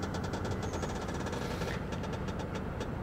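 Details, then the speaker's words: Mercedes R230 SL600 biturbo V12 idling while the ABC hydraulic suspension raises the car: low, steady hydraulic hum with faint ticking; raising works normally. "okay number two ABC cart is being raised that's not a warning it's just letting you know what system is working"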